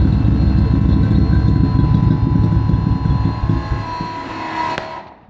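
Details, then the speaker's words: 1999 Nissan Frontier SE, turbocharged VG33E, after ECU timing and air-fuel ratio tweaks: a rough, uneven low rumble that fades and stalls within about five seconds. It is running too rich with smoke; the owner plans to lean toward 14 AFR. "Looks like it's actually running a little bit too rich. Have some smoke coming out of there, so."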